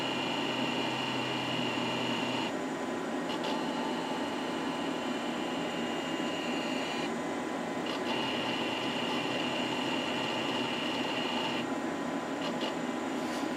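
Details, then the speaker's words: Packard Bell Legend 100CD, Pentium Socket 4 PC, during fixed disk diagnostic test: steady spindle whine under fan hum with soft head-seek clicks; normal healthy drive. "Now I decided to stay quiet during the fixed disk test there because the fixed disk test is also an interesting thing of sounds to listen to"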